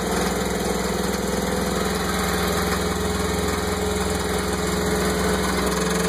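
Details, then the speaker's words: Mercruiser 5.7L V8 boat engine idling roughly with an uneven low knock, three or four beats a second; it began after lower-end U-joints and helm binnacle shifter were replaced, and persists after new plugs, distributor cap and timing adjustment. "I don't know what's going on back here. She's running rough too."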